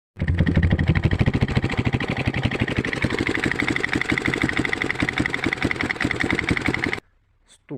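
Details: 172FMM engine: fast, even, sharp, heavy knocking at every firing stroke over idle, then shuts off; clear bottom-end knock, later rebuilt with new crankshaft, piston and cylinder.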